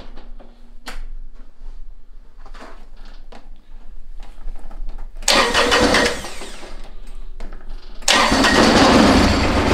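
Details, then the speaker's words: Kubota BX diesel tractor on a very cold morning: engine sputters and dies, then cranks and catches but won't hold idle; no fuel reaching injector pump line; owner suspects gelled or iced fuel. "so you can probably hear the fuel pump pumping and you can see there's no fuel coming out of that we're probably iced up or gelled up or something"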